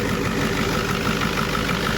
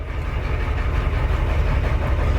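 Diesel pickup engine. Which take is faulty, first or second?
second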